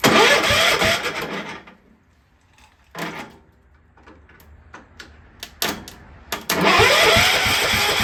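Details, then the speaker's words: Cub Cadet 1250 engine, unrun for seven years, fed from a borrowed fuel tank: the starter churns about a second, pauses, then cranks again without firing; cranking no-start with no spark because the plug wire was unhooked, and the owner thinks it is now flooded. "ohow idiot I didn't have the spark blow hooked up great now it's probably flooded"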